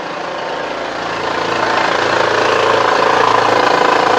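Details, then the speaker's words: 2010 Honda Pilot 3.5 V6 at idle, heard first from inside the cabin: a quick, even tick about four times a second under the running noise. This is the customer-reported engine-bay noise; its source is not yet found. "vamos a ir adentro del vehículo y vamos a encenderlo para escuchar lo que es el ruido que nos reporta el cliente"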